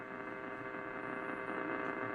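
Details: 1947 Lear 662 AM tube radio, warmed up and tuning AM: low steady tube hum with faint static between stations, no crackle; normal for tube radios.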